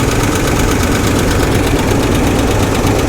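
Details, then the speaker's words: 1985 GMC Sierra V8, rough idle with steady fast light metallic tapping from the passenger side; owner suspects a lifter tap and a misfire on one passenger-side cylinder, with the battery dated 2012 and the cooling system holding pressure. "I'm gonna pop this hood real quick, see how bad that tapping is. Sounds like a lifter tap. Yeah, that's a lifter tap, and it's coming from this side."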